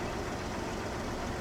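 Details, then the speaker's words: 2000 Jeep Cherokee XJ, 193,000 miles, neglected, cold lifter noise issue: warm engine settles into steady even idle, smooth low rumble, no lifter tick left, good oil pressure; sounds healthy. "all right so sing it up sounds pretty good I got good oil pressure and now I'm just going to put in gear"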